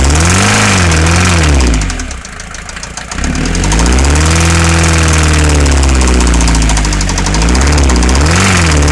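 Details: Mercedes Vito 108D 2.3 non-turbo diesel, recently given new head gasket and piston rings, smokes at times: idling and revved with a hard knock on every firing cycle rising with revs; cause unknown.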